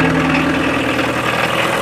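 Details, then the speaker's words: 1984 VW Rabbit Diesel, 5-speed, in pristine condition, idling just after starting: a steady, even diesel clatter with no missing beats or knocks; called whisper quiet, hardly sounds like a diesel; a normal healthy idle. "see we got up here you can hardly tell it's a diesel It's So whisper quiet I like it though"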